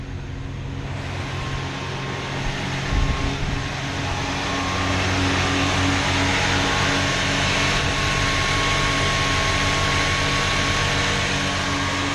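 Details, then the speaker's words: Chrysler after alternator repair, warm-up high idle just after starting: smooth steady fast idle with a faint supercharger-like whine on top; running good. "running good that high idle right now it's warming up you can hear it whining almost kind of sounds like a supercharger a little bit"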